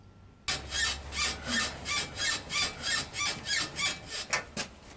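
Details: Lada Granta, left front suspension rocked: rhythmic high-pitched creaking about three times a second from a dry ball joint; temporarily cured by lubricating with engine oil, replacement recommended.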